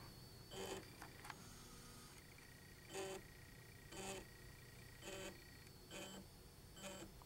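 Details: RepRap 3D printer with Gen 6 motherboard, jogging an axis in 0.1, 1 and 10 mm steps over USB: short, clean buzzing moves about once a second, same pitch and length; stepper motor working normally.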